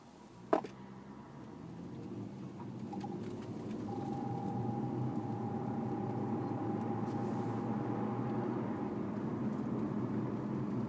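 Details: Lexus IS300, warm after about 5 miles, accelerating round a roundabout: low, rough drone swelling under throttle then easing, worse when turning, seemingly from passenger side; cause unidentified.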